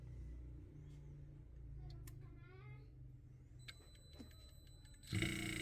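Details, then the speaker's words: Three-phase inverter compressor driven by an inverter simulator (200 Hz square signal, 6 V peak-to-peak, 50% duty). Low steady hum with faint drive whine, then the compressor starts smoothly and the running pilot lights: normal start. "Y arranca el compresor. El piloto de indicador de funcionamiento está activo."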